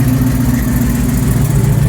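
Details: 1995 Dodge Ram 1500 V8 after replacing crank position sensor to cure no-spark no-start: deep, smooth burble at even idle with no stumbling; running properly.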